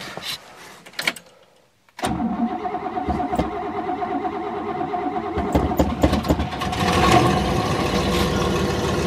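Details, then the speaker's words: 1963 Oldsmobile V8, cold start with choke set after reassembly; catches after short crank, lumpy uneven idle with faint puffing tick; worn engine needing rebuild, small exhaust leak. "oh there's less of an exhaust leak after I fix that"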